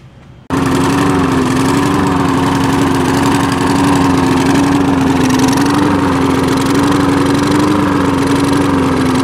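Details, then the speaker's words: Free push mower that wouldn't start, running after a clogged air filter was dealt with: loud steady note whose pitch drifts up and down every couple of seconds, surging; carburettor needs cleaning. "this thing definitely needs some carb work um as you can hear you see it was running uh revving up and down so there's definitely uh something going on there in the carburetor"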